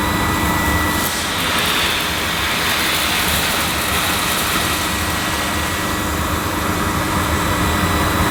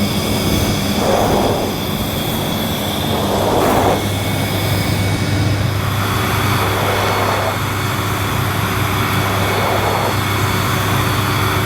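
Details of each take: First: Panasonic MC-E862 bagged cylinder vacuum, bought new in box, picking up dirt on deep pile carpet: an even, steady rushing roar with a faint constant tone and no surging or rattles; a relatively quiet, good performer running normally. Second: Panasonic MC-E862 cylinder vacuum cleaner, new, on carpet at maximum suction: steady motor roar with a recurring airy surge every few seconds as the suction relief valve cuts in.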